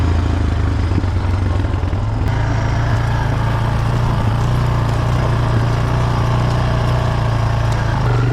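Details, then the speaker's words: 1995 Honda Foreman 400 ATV after a new muffler and a quick carb clean: single-cylinder idle with a soft, even low drone and no raspy exhaust bark. Nicely muffled; normal running. "no gas under it that's nice and quiet now"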